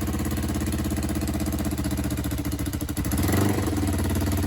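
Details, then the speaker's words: Kawasaki ER5 twin, first start in over six months after restoration, headers fitted: uneven ticking puff over a lumpy idle, sharper on blips; exhaust leak where right runner sits unflush, copper gasket poking out, fixed by retightening both. "it's got an exhaust leak. Look closely and you'll see the copper gasket poking out, indicating that the right hand runner isn't sitting flush."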